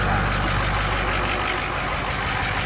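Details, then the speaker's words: Ford 6.0 Power Stroke diesel after replacing the #8 fuel injector, recorded at the exhaust. Even, steady clatter with no miss, where a miss was heard before, plus a slight pulse: smooth, quieter idle. "Yeah, that is sounding way, way better. Yeah, and the exhaust is blowing out perfectly smooth."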